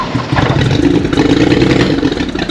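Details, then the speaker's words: BMW 535xi E60 (N54) trying to move, manual transmission, after new low pressure fuel pump: uneven lumpy note sags and stumbles under load, no power and stalls; misfire caused by unplugged throttle-body vacuum line. "Oh, no power. This car want to die when I'm moving."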